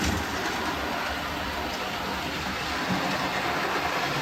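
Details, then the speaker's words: Model railway train on the outer loop at 50% throttle, steady rolling hiss with repeated low thumps about three a second as wheels cross uneven track joins; vertical alignment of joins suspected after board realignment, unconfirmed. "You can hear the thumping as some of the joins are going."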